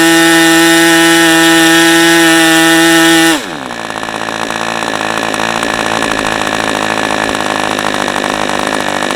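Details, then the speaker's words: New OS 40 FP glow engine, early version, first run on a stand, 11x5 prop, OS #8 plug, 5% castor/synthetic fuel, after the air bleed was tuned; high steady full-throttle scream, then clean drop to a smooth even idle; runs as expected. "Engine is just as I expected an OSFP engine to be."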